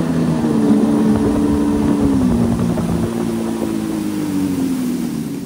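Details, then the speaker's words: 1996 Yamaha Waverunner III two-stroke on the lake after its salt-damaged, cavitating jet pump was replaced: strong steady buzz under load easing down smoothly with no surging; runs smoother than before, reaching 38 mph. Normal running. "all right guys so I was driving this thing around and it was doing pretty good it seemed to feel a lot smoother than what it did before"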